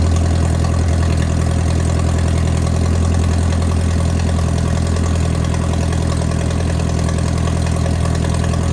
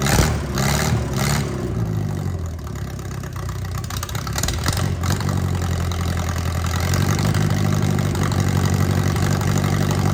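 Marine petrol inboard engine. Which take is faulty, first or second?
first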